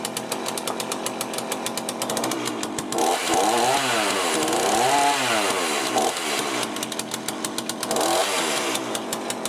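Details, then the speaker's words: Cheap chainsaw with a Walbro carburettor, just rebuilt with a new gasket kit, first start. Revs scream and dip unevenly, hunting instead of holding steady, after a hard start; owner suspects the low-side mixture is too lean. "not the easiest thing to start was it okay i guess you might need to on the low side maybe it's a bit too lean that's why it's hard to start a little bit"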